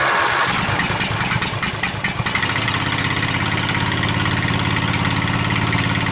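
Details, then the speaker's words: Husqvarna Z254 mower engine just after an ignition coil replacement with the clearance set, still on the old spark plug: it cranks and catches within two seconds, then settles into an even, steady idle with no misses or stumbles. Normal running. "all right it's good enough to get my job done today hopefully that'll keep going"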